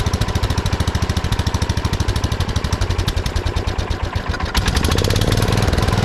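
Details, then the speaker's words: 1979 Kohler K301 12 hp single-cylinder mower engine after carburetor repair: fast even thumping about two hundred beats a minute, stepping up near the end; carburetor idle adjustment set too far, throttle shaft also affecting idle. "there's a lot of idle I've been trying to adjust it the carburetor a little bit"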